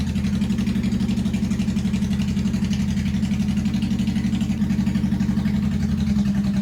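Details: 1985 Honda VT1100 Shadow V-twin, first start in 25 years, enricher off, idle raised after carb work, open pipes without mufflers. Steady but lumpy idle with uneven pulses about four a second. Rough idle, carbs not yet balanced.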